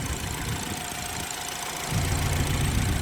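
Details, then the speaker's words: BMW F30 328i: idle with uneven, lumpy beat and occasional stumble; unplugging each one in turn made it worse each time, so they are all good; slight misfire remains, previously severe; other cause suspected. "Yeah, so now it's just like something else causing a slight misfire, because it's just a slight misfire now."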